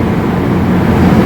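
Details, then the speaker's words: Ford Expedition after a cylinder 6 misfire (P0306) with flashing check-engine light, one spark plug replaced and codes cleared; short even engine drone with no stumble, cylinders firing cleanly, AC running; normal idle after repair. "شغل السياره ونمشي فيها على الخط ونرجع نفحص ثاني مره نشوف السياره ما شاء الله ما فيها اي تفتفه"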